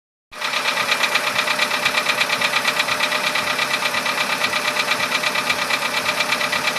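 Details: VW Polo Sedan engine at steady idle with a sharp, even ticking knock about three per second; knock appeared around 61-62 thousand km barely audible, now at 67 thousand km sharply louder; cause unknown.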